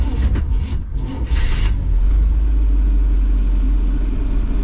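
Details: Carbureted classic V8 van with an Edelbrock carb, hot start with the choke set: labored, uneven cranking for under two seconds before it catches into a deep rumble; at first timing was suspected, then loose battery cables were found to be the cause.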